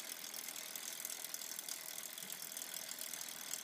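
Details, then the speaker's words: Campagnolo 11-speed drivetrain in the worst rear gear, front derailleur not touching, chain tried with several lubricants: fine, high continuous buzzing rattle as cranks turn, vibration felt through the pedal, worst on the inside; chain vibration on cassette. "he's vibrating as we've kind of seen in slow motion he's vibrating most badly on the inside there"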